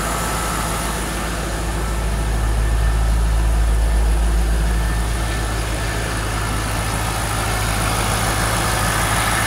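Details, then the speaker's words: 2003 Corvette C5 warming up at idle after water pump and belt replacement: steady even low rumble with no squeal, chirp, knock or tick; belt no longer squeaking, no leaks. "so we're cranking along pretty good here car's warming up but you can see it's there belt still not squeaking that's cool I'm not seeing any leaks so"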